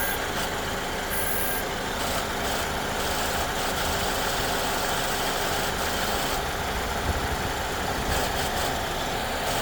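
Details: 2014 Ford Escape 1.6L at idle: thin, steady high buzz from the externally controlled variable displacement AC compressor with clutch, appearing only after the AC has run a while and pressure builds; owner unsure whether it is normal.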